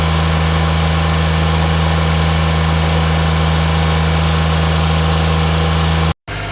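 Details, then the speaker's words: 2004 Smart ForTwo 450 700cc turbo petrol, rebuilt engine, new exhaust/catalytic converter just fitted; steady deep even hum, no misfires or rattles, before cutting off, less tractor-like than the old cracked exhaust, healthy. "sounds better now less of a tractor sounding blinking horrible won it"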